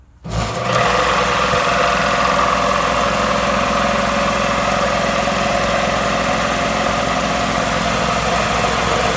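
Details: Magna Force air compressor after repairs (new capacitor, oiled foam air filter): motor catches quickly and settles into a steady, even hum with a fast regular pump beat; starts and runs normally, though air later heard bleeding off.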